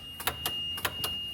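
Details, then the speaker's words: Yamaha golf cart, key on, pressing the gas pedal: sharp paired clicks, a few per second, over a faint steady whine, with no motor pickup; won't go forward or reverse. "So when you click on that or step on the gas pedal, it's just clicking. You got nothing."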